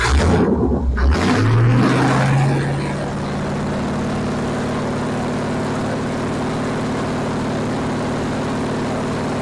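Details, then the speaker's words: Classic Pontiac V8 with new Progression Ignition distributor, 600 rpm idle, 16° base timing: a couple of quick revs rise and fall cleanly, then a smooth, even, low idle about 600 rpm; healthy throttle response. "There it is. It's about 600 RPM. Very cool. Let's give it a few little bursts and see what happens."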